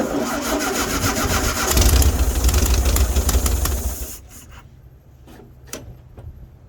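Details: 1974 VW Baja air-cooled engine with new fuel filter and battery, gas poured in the carburetor bowl: brief cranking catches into a loud uneven run for a couple of seconds, then dies. Engine cranks and starts.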